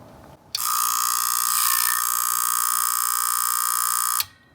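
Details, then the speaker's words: Atlas Sound CP400 commercial audio amplifier at switch-on: harsh steady buzz about four seconds, relays not clicking in together, second delayed, both chattering; suspected failed time-delay capacitors, not confirmed. "uh when I'm listening to it it sounds like this is the one that has the delay that may be working closer to normal but it's chattering as well"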